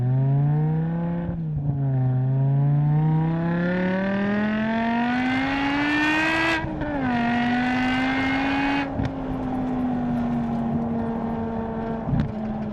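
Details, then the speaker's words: BMW M5 V10 with SMG after rod bearing service, fuel filter and new SMG pump relay: smooth, clean V10 howl at wide open throttle climbing through revs with a quick shift and pull again, no misfires or knock. "And finally, time for some wide open V10 goodness."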